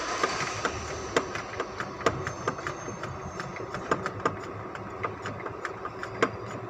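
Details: 2005 Ford Expedition V8 idling: uneven sharp ticks and pops, misfire; fixed by replacing four ignition coils and cleaning spark plugs.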